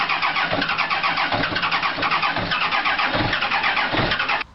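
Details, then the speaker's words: Peugeot/Citroën 1.9 D diesel (Berlingo/Partner) cranking steadily for over four seconds without catching on a cold morning start; hard cold starting that drains the battery, glow plugs suspected and being replaced. "c'est quand tu démarres le matin ça démarre mal voilà quand je démarre maintenant il y a deux possibilités ou je tue la batterie ou ça démarre"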